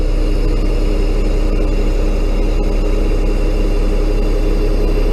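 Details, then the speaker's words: Bucket truck with Caterpillar 3116 diesel, cold weather start without block heater, cold hydraulics while unfolding upper and lower boom; deep engine rumble with droning pump note getting louder, cold hydraulic pump whine. "Okay, you hear the hissing, everything sounds okay now, it's not too loud. You're going to hear it's going to go like rah, rah, rah, rah, rah, rah. And that's how you know. You're getting louder."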